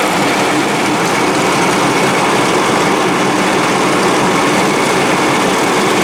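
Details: 72-inch Dixon mower with 1200 hours, after jumping the solenoid for an intermittent misfire: steady, even roar with no misses, knocks or surging; normal running.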